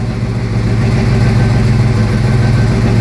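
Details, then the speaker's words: 1972 Mustang Mach 1 351 Cleveland Cobra Jet after rebuild, Flowmaster dual exhaust, Holley 650, heard from driver's seat, not yet warm: deep, lumpy cam idle, loping evenly without stumbling; healthy tuned V8 idle. "and this is what it sounds like to sit in the driver's seat. And I know the microphone on this camera doesn't really do it justice, but you kind of get the idea. The engine's not warm yet, so I'm not going to tack it up real high."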